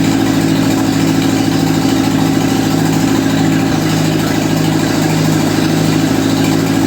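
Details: 1955 Ferguson TEA2085 tractor, an auction junkyard find that sat for years, started after oil reached the rockers; steady, loud low-speed chugging with a firm hum and no knocks or rattles. Compression readings include two kind of low, yet it runs evenly.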